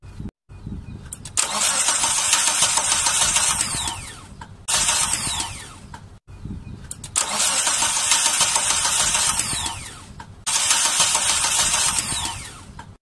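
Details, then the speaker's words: 1999 Mitsubishi Colt: several long cranking bursts at a steady three-odd turns per second, engine never fires; no spark from the distributor, traced to a failed ignition coil. "this car is the engine is won't start won't start anymore so there's a problem when i check it there is no power there is no power from the distributor came from the ignition coil"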